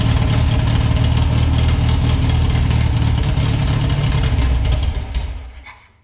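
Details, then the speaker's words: Air-cooled VW flat-four rebuilt from parts: steady low chuff, then sags, stumbles and dies within a second as the float bowls run dry; fuel starvation. "That's running out of fuel. I'm going to play with this thing for a second."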